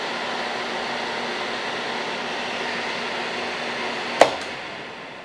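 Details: HVAC training board being tested with a multimeter: steady airy fan rush with faint low hum, then a click as the system is turned off, 24 VAC between C and Y is lost, and the fan coasts down smoothly, normal.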